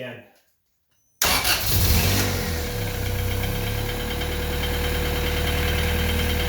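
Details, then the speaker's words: Honda Civic/CRX with a B18B1 swapped in for the D16Y8, first start after repinning the jumper harness. It cranks briefly, fires at once and settles into a steady idle with a faint whistle; no check-engine lights, coolant still bleeding. "oh wow fired up right away and no engine check lights at all either that's awesome"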